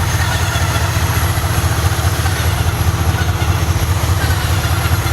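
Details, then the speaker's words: 2005 BMW 645Ci after alternator replacement (intermittent charging issues; owner suspected alternator or belt): steady, even low idle pulse with no belt squeal, charging now over 14 V; normal idle. "but anyway yeah no squeal that time which is good"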